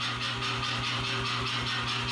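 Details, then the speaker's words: New C41 55kg pneumatic power hammer after repair, re-oiled, checking oiler output, which seemed insufficient; steady rapid even blows with airy hiss and constant low hum, no knocks or misses; normal running. "So, this thing is once again working correctly and it is excellent at destroying 2x4s. >> That seems to BE WORKING CORRECTLY."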